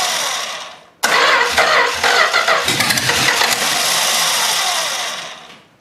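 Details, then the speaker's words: Long-sitting 318 engine, carburetor junked from sitting forever, primed with gas, run on jumper cables: it fires after a short crank, surging and stumbling before dying. Rough running from the faulty carburetor. "well I'd say that ran not the best cuz that carburetor is junked but uh that's what happens when it sits for ever"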